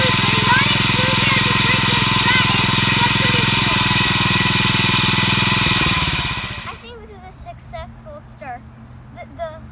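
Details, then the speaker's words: Honda GX215 OHV engine from a discarded commercial lawnmower, revived after unplugging a broken safety coil and rebuilding the carburetor twice; carb untuned, slightly smoky: small single runs at a steady even beat without stumbles, then winds down. "We have the Honda! Now we have the Honda running, and as you can see, it runs pretty"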